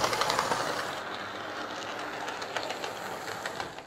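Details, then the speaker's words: Lima L201645 Class 55 Deltic model locomotive after filing down the plastic gears: a light, even whirr with faint rapid ticking and no harsh grinding; it now runs much quieter and smoother. "that's certainly running an awful lot quieter um i think filing those gears down has been the the secret there to getting this running quiet getting rid of all those little artifacts on the the uh the plastic"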